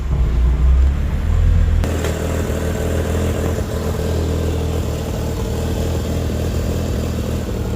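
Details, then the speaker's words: Mazda RX8 with bridge-ported 13B REW rotary swap on Haltech S2 ECU with rough base map, minutes after first start: low steady rumble at about 1100 rpm, no stumbling or surging; very smooth, idling like a stock engine. "Okay, so within just a couple of minutes, got this thing idling around 1100 revs. Oil pressure. That sounds very, very smooth."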